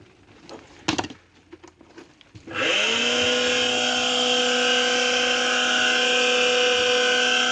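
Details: Kawamoto NF2-150SK well pump, sold as junk with many missing parts such as the white plastic cover and a repaired power cord. The motor spins up to a steady, high, whiny hum with a faint rough edge; the abnormal motor noise is unexplained.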